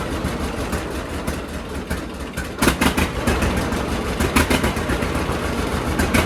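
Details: John Deere D two-cylinder tractor after regapping Autolite 3076 spark plugs toward the factory 0.030 in; slow even putt at idle with no skipped beats, no longer missing, some black smoke, no backfires.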